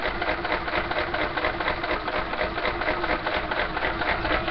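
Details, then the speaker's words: Small single-cylinder engine running on hydrogen with stock timing: busy, uneven chatter that keeps shifting beat; rough idle, won't run well at full RPM. "I can't get it to run at full RPM uh very well but you know"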